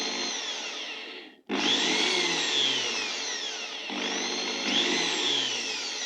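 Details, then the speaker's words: Makita 6413 drill tested after repair (new 627 bearing fitted, carbon brushes changed): two trigger pulls, each spinning up to a clean, even high whine with no rattle or grinding; the drill motor runs normally. "now this Dr good working this good working"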